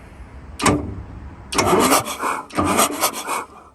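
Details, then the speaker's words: Cummins 352 diesel with new starter solenoid, injectors out, cranking to check valve train: short bursts with rhythmic puffing of air on each stroke, even across cylinders; all cylinders making compression. "Um it just looks like it sounds like all the cylinders are making compression."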